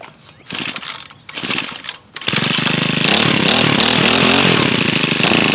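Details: New tiller: a few pull attempts after a loose pull cord, then the small engine catches and settles into a steady, even, buzzy run without misses. Debris in the blades is suspected of having stopped the cord pulling; it now runs normally.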